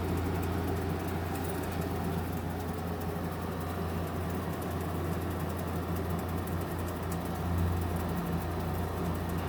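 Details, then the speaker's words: GE 5,050 BTU window air conditioner on medium fan, compressor just switched on, sitting behind three grates: a quiet, steady low hum over even fan rush with no rattles or clicks; now blowing cold. Normal. "compressor is on now. It's very quiet. If I bring it over here, you should be able to hear it now. You can't see it, but the compressor's behind those 3 grates."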